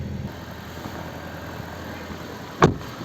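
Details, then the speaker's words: Gentra (Джентра) cold start at -20°C after standing outside overnight, hood open, ECU reflashed; fast idle about 1400 rpm; steady even petrol idle, injectors ticking, power steering silent, no misses, one brief handling knock; normal cold-start fast idle. "вот так вот работает нас двигатель [музыка] гидроусилитель вообще не слышно как работают слышим как форсунки цокают"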